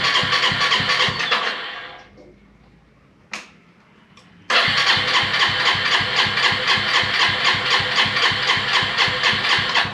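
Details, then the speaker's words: Volty motorcycle cranked after long storage with a newly fitted battery: long, even cranking bursts about four beats a second that never catch; no fuel was reaching the carburetor because the fuel tap had been left off. "I was trying to turn it on and for a while I stopped recording and I was worried because the motorcycle wouldn't start"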